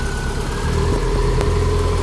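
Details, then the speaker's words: Built 2007 Subaru STI ("Hawkeye") first start after plugging in the crank sensor: steady, even low idle with a smooth rumble and no knocks or misses; the freshly built engine sounds healthy. "oh yeah that's healthy"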